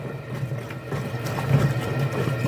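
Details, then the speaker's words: General Electric washer during the wash cycle, with its tub wrongly turning while washing. A steady low hum sits under the water sloshing. The technician says it could be the motor or the bearing, most likely the motor. "zumbido de de algo puede ser el motor o puede ser El balero lo más probable es que sea el motor"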